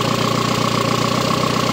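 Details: 1.4 MPI turbo engine after being removed again; an earlier high idle was likely from a disconnected hose, now reconnected. Steady, even idle with a smooth regular pulse and no hunting. The idle is normal, as it should be.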